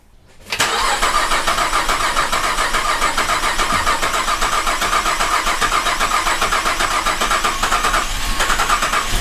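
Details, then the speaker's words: 2008 Cadillac CTS GM 3.6L direct-injection V6, first start after timing chain replacement: catches quickly, then idles with an uneven popping "popcorn" beat; a vacuum line left off during reassembly caused rough running from an unmetered vacuum leak. "found the culprit had a vacuum line off an engine was taken off man why does it sound like popcorn"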